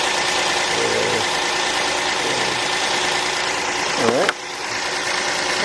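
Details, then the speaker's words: V6 car, started first try on a Noco GB70 portable jump starter, idling with the jump starter still connected: smooth steady hum, no stumbles, rattles or knocking, normal idle. "car started up on the first shot with the gb70 Noco gb70 took care of it"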